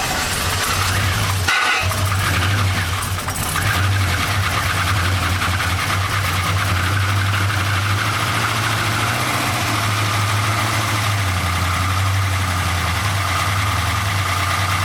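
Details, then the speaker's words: 1999 Holden R8 Clubsport, Gen III LS1 V8, first start after a cam swap, no throttle: catches after a short crank and settles into a steady idle with a light metallic rattle on top; oil light stays out, cause not yet clear. "No oil lights, yeah. No oil lights. Pretty rattly up here."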